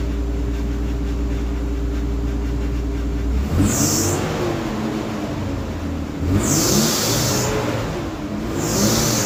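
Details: 1991 Nissan 300ZX twin turbo, first start since oil change and tune-up with NGK iridium plugs and new fuel filter, new 550cc injectors, gaskets and hoses fitted; fires cleanly after a steady fuel-pump hum, revs up and down smoothly, no misfire or rattle. Engine running healthy.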